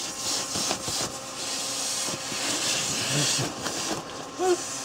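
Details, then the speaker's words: Volkswagen Jetta secondary air injection test: air pump jumped on at the relay terminals, steady airy hiss of air heard at the tailpipe blowing up rubber gloves; normal flow, confirming the combi valve opens and closes properly. "Okay, let's go look at our air gloves. Looky here. You can even hear the air."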